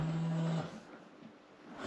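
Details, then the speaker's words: Porsche 928 S4 V8 boot release: a short, low electric hum of about half a second. The latch sounds like it uses a little motor instead of a solenoid, and it is operating normally. "Oh, did you hear that? It's got a, instead of a solenoid, it sounds like it's got a little motor in there. Old school electronics."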